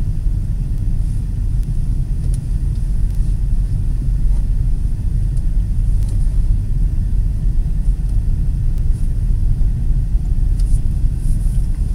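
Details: 2008 Nissan Pathfinder V8, Volant Powercore cold-air intake with AEM Filter Minder, driving at about 70 mph on smooth grooved concrete, tablet microphone, before/after comparison. Deep, even engine rumble under road noise, no whistles or knocks, normal intake sound, no audible difference.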